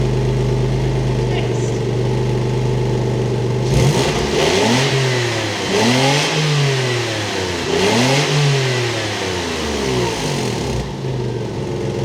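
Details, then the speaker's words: Early 2.5 Porsche Boxster 986, fixed after air-oil separator failure: smooth idle then repeated clean even throttle blips, no misfire, knock or rattle; healthy. "What I meant to say is, great news! It's fixed! Look!"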